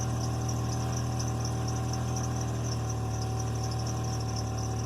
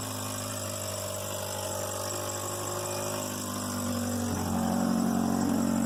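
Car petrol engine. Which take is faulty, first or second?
second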